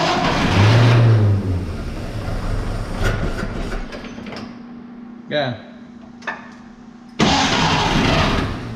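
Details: Barn-find 1931 Oldsmobile F31, first start attempt on 12 volts with choke open: quick, even starter whirr, engine catching in brief puffs but not running on its own; they suspect not enough fuel reaching the carb yet, unconfirmed.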